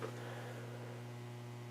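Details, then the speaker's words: Lafayette HA700 tube receiver, first power-up during refurbishment: loud, steady low mains hum with a buzzy edge and no change throughout, indicating the aged filter capacitors need replacing. "we hear hum hum is good right that just reinforces the the idea that we do need to replace the the capacitors"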